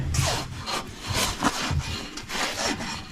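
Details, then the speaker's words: Lawn Ranger mower deck spindle worked by hand in about 30-degree cold: uneven, dry rasping rubs roughly twice a second; the spindle is stiff but starting to free up. "This in here. Boy, that don't sound good. Sounds a little dry. Hope you can hear that. Sounds a little dry."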